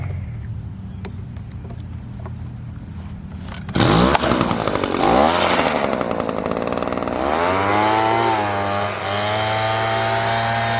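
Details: Echo PB-200 two-stroke leaf blower after cheap fix, discharge attachment refitted correctly (had been on sideways): pulled from starter, revs to clean steady howl, then settles smoothly with no misfire or surging; normal running.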